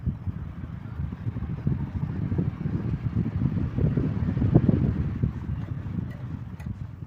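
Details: Table fan after shaft repair, problem solved: soft, even rush of air with a low steady hum and no rattle or scrape; the fan runs smoothly and sounds healthy.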